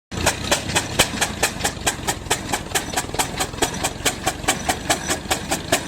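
Sharp, evenly spaced exhaust chuffs about 140 a minute, heavy and slow as the engine labours uphill under a big load.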